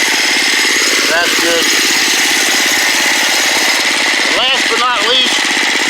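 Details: Small engine after carburetor repair, idle speed just turned down: rapid, even popping at steady low idle, no hunting or misses; idle set correctly.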